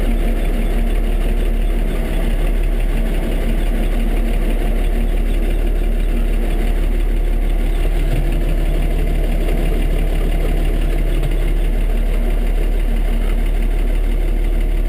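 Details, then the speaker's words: IH 1086 diesel tractor just after a cold start on a mid-20s morning, running regular diesel not bio: steady, even low idle chug, no misses or knocks; normal cold idle. "not too bad for this thing about all I wanted"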